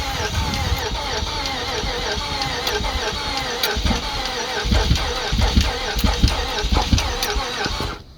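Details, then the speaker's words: Nissan Quest 3.5L V6 engine, junk unit deliberately run without oil and redlined to destroy it; after cooling it restarts with an uneven, lumpy run, irregular thumps about ninety a minute, sounding down a cylinder or two, then dies; misfire. "I think it'll start back up because I mean it's not going to be happy. It sounds like we're down a cylinder or two now."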